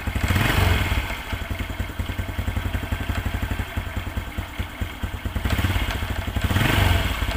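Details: Honda Revo Absolute idling with an uneven metallic clatter, about four knocks a second, from the clutch area; the cause was worn clutch shoes (kampas ganda), fixed by replacing just the shoes.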